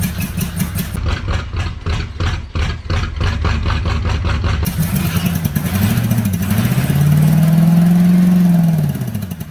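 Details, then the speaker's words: 1983 Oldsmobile 98 with a 350 diesel, fire-damaged, finally catching after repeated cranking; settles into an uneven, wavering idle that hunts up and down; owner suspects it is sending exhaust up through the intake. "That's the idol of it. Oh, that is all wrong."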